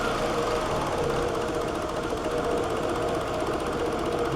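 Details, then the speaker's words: 2003 Toyota Camry, 194,000 miles, struggles to start and runs rough with gas applied: uneven, lumpy idle with irregular shudders and wavering hum, engine visibly shaking; rough idle, with throttle body cleaning as the fix. "we'll see if it'll start if you heard all that but it really struggles to get running and I'm giving it some gas"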